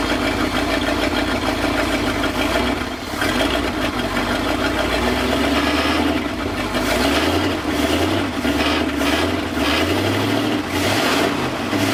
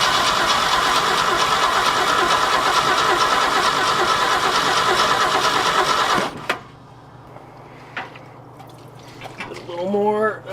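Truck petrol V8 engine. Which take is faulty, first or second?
second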